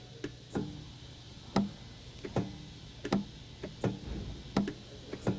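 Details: Porsche Carrera 4S that would not accept fuel at the pump: sharp, uneven clicks about once a second from under the car, beneath the steel chassis and aftermarket stereo equipment. The filler vent valve is opening normally.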